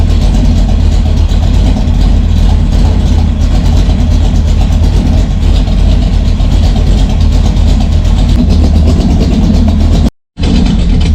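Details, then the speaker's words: V8 with a Brawler 650 CFM double-pumper carb (timing 16° initial, 36° total), still warming at about 180°, air cleaner on, good fuel pressure and no leaks: loud, heavy, lumpy low idle with a deep uneven burble, rich and below its usual ~900 rpm. "How rich it is at idle. Idling pretty low too. Idle's up around 900 usually."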